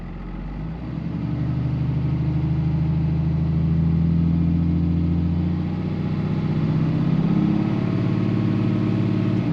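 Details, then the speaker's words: 2005 Ram 2500 diesel after FASS lift pump and fuel line replacement: deep, steady rumble with even clatter, unchanging over ten seconds; no knocks or misses, oil pressure good, healthy normal idle. "sounds good all right oil pressure looking good yeah I think we're getting there"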